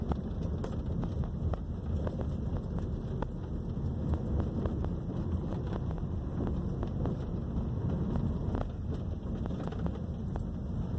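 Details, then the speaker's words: 2012 Honda Civic driven on a rough street after repairing a blown engine mount, a chronic Honda fault; steady low road rumble, soft bump thuds, no metallic knock; front suspension noise gone. "beleza acabou o barulho do carro pessoal"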